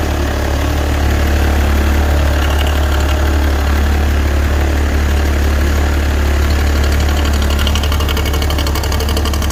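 Loud low idle with a fast, fairly regular knock running through it at about four per second; a knocking engine, cause unknown.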